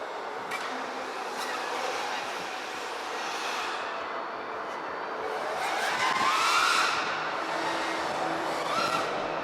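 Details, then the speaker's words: Prototype HQProps 3D propellers on a 3D freestyle FPV drone, lighter and more aerodynamic than usual: motor roar surges with throttle and a thin whistle rises on the hardest bursts. The pilot suspects the props deflect too much. "pretty good like the sides a little whistling sound it still performs really good on sticks hell I think the profs will deflect a little bit too much causing more of that whistling to happen"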